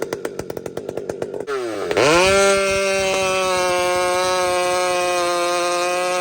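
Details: Husqvarna 592XP chainsaw fitted with a pipe, pull-started and running straight to a clean, steady high scream; it dives into the cut instantly with no hesitation, burbling or blamp (four-stroking). Normal two-stroke running under cut, healthy tune.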